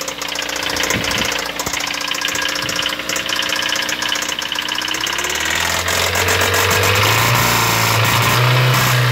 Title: She's Good For 10,000 More Miles. What's A Rod Knock?